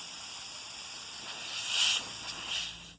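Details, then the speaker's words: Harbor Freight Central Pneumatic 1/2" air regulator: steady thin hiss of escaping air that swells briefly then drops away, continuing even when wiggled; regulator leaking air, to be disassembled for repair. "It's not supposed to leak any air out of here."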